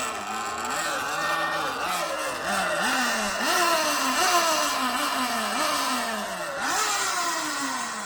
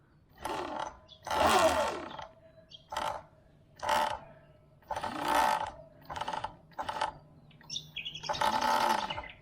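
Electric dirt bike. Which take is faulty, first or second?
second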